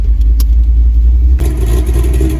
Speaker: Man, that cam chopping, this thing ain't been out for so long, man.